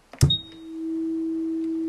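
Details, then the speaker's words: 1970s General Music (GEM) F40 transistorized electronic organ switched on via master power switch, no keys pressed; click then steady unchanging mid-pitched oscillating tone, owner suspects bad capacitors, unable to fix. "You can hear it's doing some oscillating noise. Now I think those are some bad capacitors."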